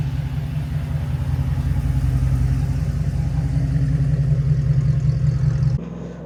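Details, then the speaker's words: Jeep Wrangler JK with a newly installed AMW 505 392 Hemi V8, replacing the 3.6 L Pentastar after 200,000 miles, pulling away at low speed on its first test drive: deep, even burble, steady firing, no knocks or misses; normal running. "It's time to fire it up. [laughter] Oh, that is unmistakably not a 3.6 L Pentastar."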